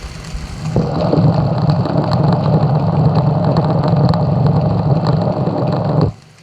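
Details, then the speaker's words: 2010 Ford BF Falcon wagon at idle, listened at the serpentine belt tensioner pulley with a screwdriver; water pump is also leaking. Steady rumble with sharp ticks and gritty rasp. Owner guesses this is the mystery noise. Noisy pulley bearing suspected. "So as you can tell, it's making all sorts of noises. You can hear that one there. So that's my mystery noise, I'm going to guess."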